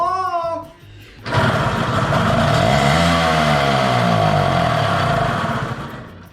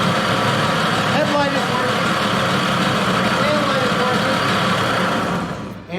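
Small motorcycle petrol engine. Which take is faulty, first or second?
first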